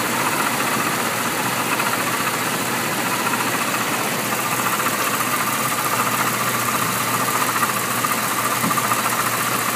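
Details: 1998 Jeep Cherokee XJ 4.0L at idle: loud steady running with a loose, fairly fast knock, hard to isolate but believed from the front of the engine; cause unknown.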